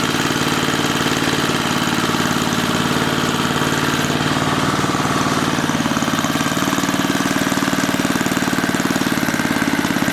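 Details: 1980 rototiller, small engine firing fast and steady with no dips; governor not holding it down because the wrong spring is fitted, causing overspeed.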